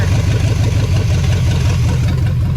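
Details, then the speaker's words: 1975 Chevy Nova 350 four-speed, now warmed up, after reconnecting a disconnected vacuum line that had caused a high idle. Smooth, even low rumble with a steady beat, about a thousand rpm and no misses or ticks; normal warm idle. "so now as you can hear she's idling mint listen to that bad boy so that's awesome that is much better she's idling exactly where she wants to be"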